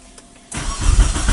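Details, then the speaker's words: 2001 Mitsubishi Galant 4G94 after engine swap, down for weeks despite several parts replaced, check light on: steady, even cranking with good compression cadence but no firing; crank no start, fuel reportedly reaching rail and wetting plugs. "So I'm definitely hearing the cadence and it sounds like it's good compression, so I kind of rule compression out at this moment."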